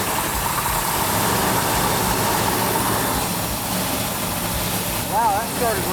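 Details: 1970 Plymouth Cuda 440-6 with a Comp Cams Mutha Thumper cam, initial startup of the new engine with RPM held up for cam break-in: loud, uneven loping idle, choppy but steady; normal lumpy idle, slight valvetrain noise normal when new.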